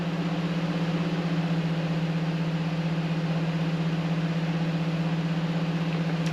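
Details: Ford V10 engine in a Class A RV on a Ford F53 chassis, started from inside right after an oil change to check the oil level: low, smooth hum with an even pulse about four times a second, no ticking or knocking; normal idle.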